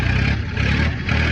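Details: Ford Industrial 420 diesel backhoe, reportedly not cranked for a month or two, battery likely dead, held at high idle with a rock in the throttle: fast steady diesel clatter, gentle rise and fall, no miss or knock; runs well.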